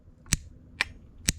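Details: Old relay from a faulty QUCC 200A BMS: three sharp dry clicks half a second apart as the coil actuator works, but the contacts stayed closed, held by the spring mechanism, not welded or burned as assumed.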